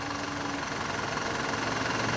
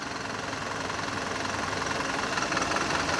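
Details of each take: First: Mitsubishi Canter Euro 4 common-rail diesel truck during scan-tool cylinder cut-out injector test: even diesel clatter at idle, steady speed with no stumble; all cylinders firing, running healthy. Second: Mitsubishi Canter Euro 4 diesel at idle during a scan-tool injector cutout test, cylinder 1 disabled: limping, uneven beat of about three pulses a second, returning to normal when re-enabled.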